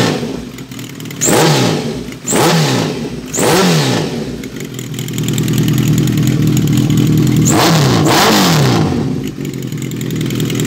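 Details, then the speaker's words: 2005 Kawasaki ZRX 1200R, first start after rebuild, Yoshimura MJN-TMR flatslide carbs, new battery, briefly warmed: crisp throttle blips rising and falling cleanly, then steady higher hold, no misses or rattles. "oh that sounds great very pleased with that"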